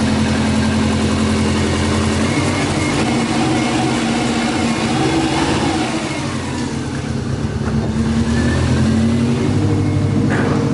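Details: Subaru EJ205 boxer, 2016, 207,000 km, oil leak: knocking on a cold engine, an uneven repeated knock about three per second under the exhaust note while revving. Cold engine knock.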